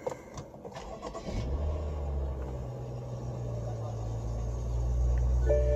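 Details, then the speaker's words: BMW F10 5 Series twin-turbo, under warranty, hood open: engine cranks and catches, then a steady clattery diesel-like rattle rides over the idle from a worn tensioner pulley bearing, with the pulley visibly shaking. "so for you guys that have this F10 or a BMW if you hear that rattle if your starts sounding like a diesel then you know what it is"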